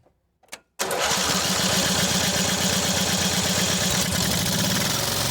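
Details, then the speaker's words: Mid-1990s Cub Cadet 1641 with Briggs Vanguard, sat 3 years, fuel line off carburetor to check flow: starter spins engine at a steady even rate but it never catches; fuel delivery suspected, not confirmed. "I'm gonna crank it and watch right here and see if we get anything out of that hose. Might not be getting anything out of it, huh?"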